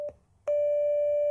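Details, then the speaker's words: Arduino penny organ with four digitally controlled oscillators: a steady tone near 600 Hz from the first oscillator sounds bright and buzzy with extra harmonics, unlike the pure sine of the second; the first oscillator is faulty. "that's coming from the first oscillator and it sounds brighter like it's got more harmonics"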